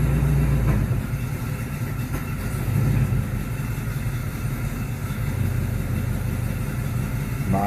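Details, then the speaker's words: 1974 Chevy Nova 4-door, 350 V8 dynoed at 345 hp, idling in drive: deep, steady burble with an even lope, no misses, knocks or ticks; normal idle. "Gauges. Sounds good when I put it in drive."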